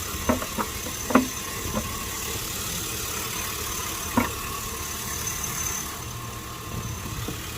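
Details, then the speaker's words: 2005 Chevy Tahoe idling after fixing a vacuum leak, engine bay cap being refitted. Quiet, even idle under sharp plastic clicks, no shake or hunting; normal idle, earlier whole-engine shaking fixed. "Looks like it's doing good. Looks like it's doing good. We're not getting no more shaking of the engine. The whole engine was shaking, so problem fixed."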